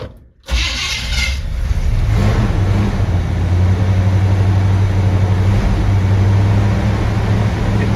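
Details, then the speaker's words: 1970 Chevy C20 after new fuel pump, restart: cranks and catches quickly, settling into a steady even idle with no misfire or rattle; timing sounds right, low on fuel. "let's start it up again the timing sounds perfect that's a good thing"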